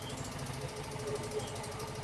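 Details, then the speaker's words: Yamaha Fino scooter (Mio M3/Soul GT type engine): smooth at idle, but a loud, quick light tik-tik ticking appears as soon as throttle is raised slightly and fades when released; top-end tick. "Jadi, begitu kita menginjak gas, sedikit menaikkan gas, kita akan mendengar suaranya, kawan. Suaranya cukup keras, kan?"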